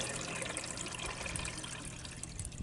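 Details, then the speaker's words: Repaired above-grade water tank pump plumbing after freeze, broken sediment filter replaced with plain pipe, solar pump pressurized: steady trickling and rushing water through the line, no hiss or spitting; water flowing with no leaks at the pump. "sounds like i have water flowing and i don't see any leaks around my pump which is good"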